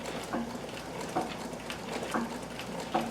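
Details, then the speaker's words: 1959 Brother Flairmatic sewing machine, oiled, on a treadle: soft quiet clicks repeating slowly per stitch, mostly feed dog noise plus treadle, no grinding; normal running. "majority of the noise that you can hear is actually feed dogs. I've oiled this and everything else, and you can probably hear the treadle going."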